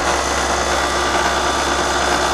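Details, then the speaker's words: Older York heat pump condenser fan motor drawing 0.8 amps, matching the 0.8 amp data plate rating, about 72°F outside: steady even whir and low constant hum, no scraping, ticking or wobble; fan bearings not going out, normal running. "That's 0.8 amps. And the data plate says 0.8 for the condenser fan motor, so we're good there. We know that the fan bearings are not going out."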